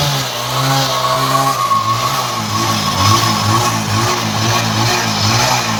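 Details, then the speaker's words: Bajaj Discover 100cc run after half a litre of Harpic plus 400 ml petrol was poured into the engine. Very loud, harsh revving whose pitch wavers and surges unevenly; the result is a damaged engine. "Harpic डाले और engine आके पूरा sound आके चालू हो गया, बहुत ज़्यादा साउंड आ गया इंजन में आके।"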